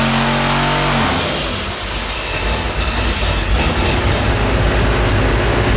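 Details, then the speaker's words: Twin-turbo (two-stage BorgWarner) junkyard LS V8 pulling under load on an engine dyno with an uneven, stumbling note and occasional deep thumps; intermittent misfire under load, with two cylinders misfiring and wastegates under investigation. "and you can also hear misfiring every now and then like at least a deep one when he loads it's like bull"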